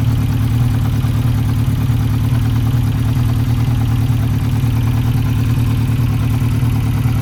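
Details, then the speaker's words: 1992 Yamaha XJ600 Seca II, carbs just tackled, number two cylinder reading cold (180 vs 420–440) despite new plugs: low uneven lumpy idle, stumbling pulse about two per second; number two suspected not firing, unconfirmed. "Number two sounds like it's off."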